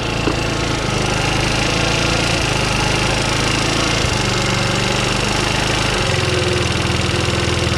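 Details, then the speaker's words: 50cc two-stroke scooter after repair, warmed up, idle screw turned down until rear tire stops spinning: steady, even idle with no hunting or misfire, slightly boggy off idle; normal idle. "Right there, the tire stopped moving, so we know we found our good idle."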